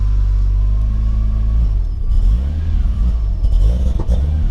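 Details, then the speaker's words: Turbo 2JZ Lexus IS300 first start after reversed cam sensor polarity was fixed, wideband connected: deep exhaust burble surging and wavering on throttle blips; rough running, stumbles on tip-in, cause unclear. "not sounding too great [Music] brakes up on tip-in we'll see what that's all about"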